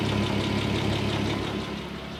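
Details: Audi A6 C4 2.6 V6 (ABC engine) at idle: a light, regular knock riding over the engine hum; strange internal knock, source not pinned down.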